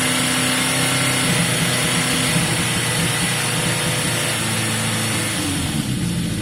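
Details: Yamaha XJ550 motorcycle cold on choke after carburetor cleaning: even, steady slightly raised choke idle, no misses, knocks or hunting; sounds as good as before, idle may need adjusting; normal cold idle on choke.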